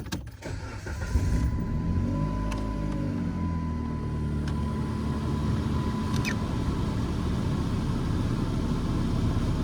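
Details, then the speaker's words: 2008 Dodge Avenger after replacing the HVAC blend door actuator: engine idles steadily with the fan blowing evenly, and the earlier clicking from behind the dash is gone. Normal HVAC operation, no actuator clicking. "oh okay there you have it she's no longer clicking yes it was a success"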